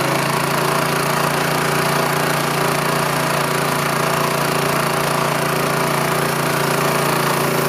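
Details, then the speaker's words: Rolair gas-engine air compressor with Honda engine, unused for years, running after a carburetor cleaning; single-cylinder engine holds a steady, even drone with the compressor pumping, no misses or knocks. "Alright, you hear the air. I'll have to say that's an easy fix."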